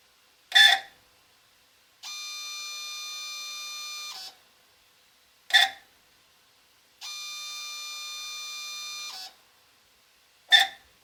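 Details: Apollo DIC C5 multisampler valve: a sharp click, then a steady two-second high screech, repeating about every five seconds as it switches inputs, heard at initialization and while running Clean Valve.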